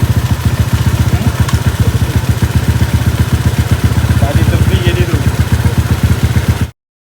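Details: Motorcycle after full-spec build with clutch conversion, clutch now working in second gear: even, steady putter of firing pulses at a fast idle with no slips or clatter; the bike runs cleanly.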